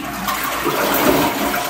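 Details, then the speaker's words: Niagara Stealth N7714 toilet after replacing the fill valve seal, which had caused hissing, very slow tank filling and a weak flush: a loud, even, forceful flush with no hiss or sputter, and the tank now refills quickly. "nice strong flush filling up quickly again and we're done"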